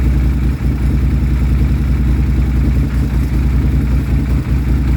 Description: 2016 Polaris Sportsman 850 extremely rough idle and no power. Backfiring through intake thought she was a goner. It was the fuel pump!